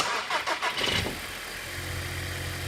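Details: TFSI engine, battery pulled down to about 11.6–11.7 V with headlights on for load to simulate a cold, low battery: about a second of quick cranking, then clean catch into smooth, even idle; relay latching correctly, normal start.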